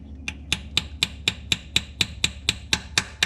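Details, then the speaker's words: Seal being tapped in lightly with a punch and hammer during a rebuild. Sharp metallic taps about four a second ring brighter and harder as the note changes, showing the seal has bottomed out and seated fully. "When it gets to like a more of a metallic-y sound, you bottomed out the seal."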